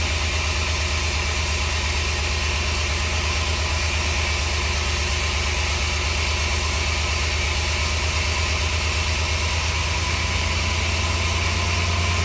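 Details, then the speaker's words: 1964 Willys CJ5 Jeep with Chevy 4.3L V6, first run after engine redo, distributor suspected moving: steady uneven lope with regular stumble; misfire at idle, cylinder one suspected, not confirmed. "Uh, but it's missing. It's missing. Which cylinder is it missing on?"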